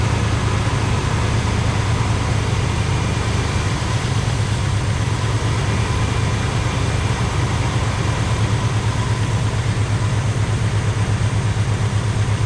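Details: 1985 Pontiac Trans Am V8, 34,000 miles, parked since 1998, with a sticky carburetor. Deep, steady idle burble with an even low thump and no knocks or misses; runs smoothly.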